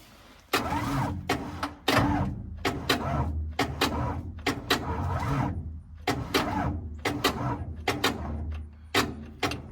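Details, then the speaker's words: 29-year-old TimberJack 450-C skidder, sitting 8 years, poor battery connection: starter turns in uneven, labouring bursts and dies away without catching; slow weak crank, battery suspected dead, boosting with two batteries planned. "Ooh, that didn't sound good at all. That did not sound good. Sound like my battery's dead. is what that sounded like."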